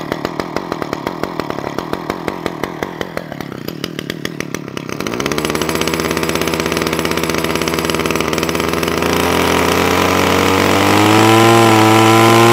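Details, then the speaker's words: Titan strimmer multi-tool that used to bog or stall, after a quarter-turn clockwise carburettor adjustment with a flathead screwdriver: rapid popping idle at about four beats a second, then a clean climb to steady high revs with no bogging. "all right I've got my Titans trimmer working one more time so there you go one little tight instrument out we're up and running"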